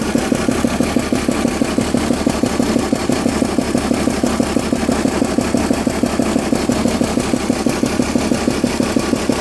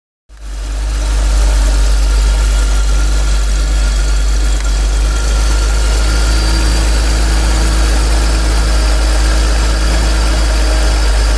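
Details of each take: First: BMW E46 328Ci with M52B28TU petrol engine at idle: steady ticking knock about three times a second from a loose spark plug on cylinder 5; all plugs worn out, and the engine ran smoothly and quietly after replacement. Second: BMW E46 328Ci M52B28TU petrol engine idling after replacing worn spark plugs (cylinder 5 plug was loose, causing knocking): steady even idle, low hum, no knocking or ticking.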